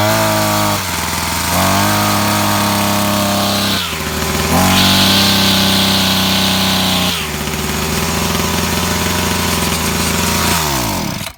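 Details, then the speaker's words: Brush cutter that previously died when throttled, after air cover refit and fuel hose priming: revs up cleanly to a high buzz several times and returns to idle without stalling or stumbling; now running normally. "ve makine tamamdır"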